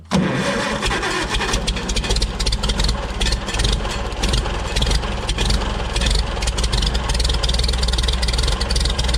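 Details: Farmall Super C tractor with points ignition, after fixing a no-start by adjusting the stuck-shut breaker points: brief crank, then the engine catches and settles into a steady, even run with a light rev; starts and runs normally.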